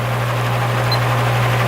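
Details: Repaired spare plastic Marco motor with blade from vintage Lasko/Galaxy box fan on low speed (red wire), 1 A and 80 W: steady low hum with soft air whoosh, no ticks or rattles; the usual hum of these plastic motors; normal running.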